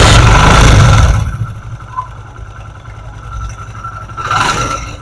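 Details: Motorcycle after a worn plate causing heavy engine noise was fixed: it catches with a loud burst, then settles to a quiet, steady idle and blips cleanly, with no rattle or scraping.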